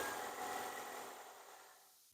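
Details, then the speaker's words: 2017-2018 Toyota Yaris iA just after an oil change with 0W20: the rev note changes as the oil circulates, then it idles steadily and eases down as it is shut off; healthy. "Do you hear that difference of revving? That means the oil went through now."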